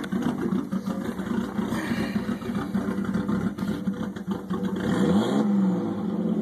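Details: Nissan RB20DET inline-six at idle: uneven, lumpy idle with an irregular beat and wavering engine note instead of holding steady; rough idle.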